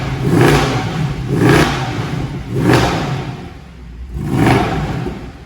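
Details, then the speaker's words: Cheap Mercedes W204 C63 AMG (M156 V8) that sat a long time, knocking and smoking: four rising revs, exhaust wet-sputtering on each blip as water spurts out every rev, likely condensation from storage. "spitting out a load of water engine it was only twoes water com out yeah every time you rev it spurts out"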